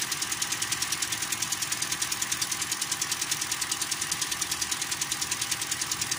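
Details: 2013 Toyota Corolla with a 3GR 2.0 engine at idle: sharp, even ticking around 200 per minute, lighter than a rod knock. Owner says it fades when warm. A rod bearing was first suspected, but the rocker arm had come loose from the camshaft with increased clearance.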